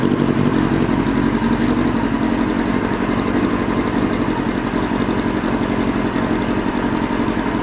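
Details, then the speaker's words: 2002 Yamaha YZF R6 carbureted four, after sitting 6 years, original fuel pump reconnected: stumbling idle with irregular gaps in the exhaust beat, like a dead cylinder; owner believes a carburetor is gummed up again and needs cleaning. "I feel like it's only running on like maybe 3 cylinders. So one of those carburetors is definitely gummed up again."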